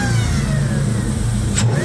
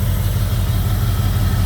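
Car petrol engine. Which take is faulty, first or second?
second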